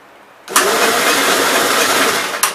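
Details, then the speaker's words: 1957 SR Gravely single-cylinder after top-end rebuild with 15-over rings: short cranking burst that never catches. Owner suspects carbon under the exhaust valve, then thinks the valves needed adjusting (zero clearance) and plans to adjust them. "yeah i think the valves needed adjusted guys so i'll adjust the valves on it tomorrow night see what happens then"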